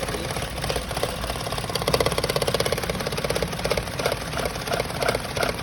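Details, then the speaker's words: Maruti Suzuki Alto idling with a lumpy, stumbling heavy misfire; spark plugs and ignition coil checked fine, injectors fully clogged since the car runs mostly on CNG and rarely on petrol. "एक बार आप यह आवाज सुनो ट के10 है गाड़ी missing कर रही है बहुत"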